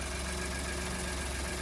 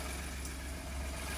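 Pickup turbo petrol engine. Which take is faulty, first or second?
first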